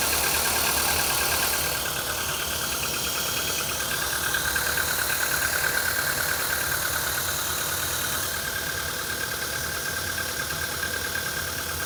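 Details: Cold idle of a CFNA engine with a quick, fairly regular light tapping about three times a second over the engine hum; a cold-start knock of unknown origin.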